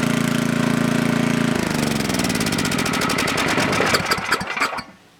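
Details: Coleman Powermate Maxa 5000 ER generator, reassembled from parts, runs steadily on half choke, then slows into uneven chuffs and dies; lean and starving for fuel with choke open, suspected carburettor needing cleaning.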